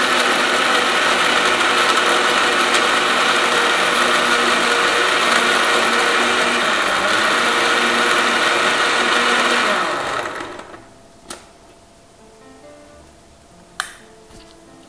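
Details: Blender making a vanilla shake with ice and water, after repeated blending: steady, even high-pitched whir with no ice clicking, then the motor switches off; the ice is blended and it runs smoothly.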